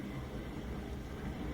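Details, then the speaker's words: New Bosch Ascenta dishwasher, just installed, on auto wash and running empty, so a little louder than with dishes: steady low rushing of water and pump hum with no knocks or squeals, a normal wash cycle. "when it's really doing its thing, when it's really washing the dishes around. Since it is empty, it's a little louder than it would be if you had dishes in there."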